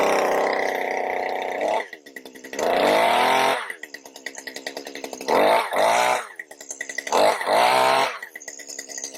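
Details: Stihl HS80 hedge trimmer, yard-sale find, after fuel system cleaning and carburetor work for no-start: two-stroke fires up cold, settles to steady crackling idle with clean sharp rev-ups, no stumbling; runs healthy.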